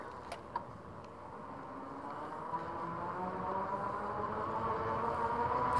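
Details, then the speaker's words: Magicycle e-bike riding with Kenda knobby tires: steady whine near one kilohertz that climbs with speed, normal tire noise rather than the motor. "you know whenever you hear the whining it's not the motor that you're here whining it's the tires because these are knobby tires these kenda tires on here"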